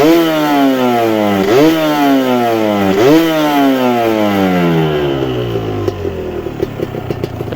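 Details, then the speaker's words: Kawasaki Ninja two-stroke (the yellow bike), throttle blips during an engine-condition check: sharp blips with clean, smooth fall-off and no rattle as throttle closes, no piston slap; smoothest engine, normal revving. "itu ya teriakan tidak ada ya ini memang yang terhalus di Ninja 2tak ini terlalu seperti ini seperti yang kuning ya suara mesin halus"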